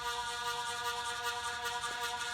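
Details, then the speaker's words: Early-1980s ERS 56" industrial ceiling fan with reversible Universal K55-style stack motor, bent blades straightened, turned up a speed: steady even tonal hum with faint air whoosh, normal motor vibration carried through the heavy blades. "And that sound that you're hearing is just the vibration from the motor radiating through the blades."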